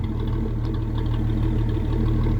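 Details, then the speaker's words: 1981 Ford Mustang, 200 inline-six, C4 automatic, new exhaust with the H-pipe removed, after a cold start with the choke kicked down: deep steady low rumble at cold idle, firing evenly with no ticks or misses while it warms up. "So yeah, I was able to kick it down, and now she's still a little cold to try and rev her out, but it just sounds really amazing."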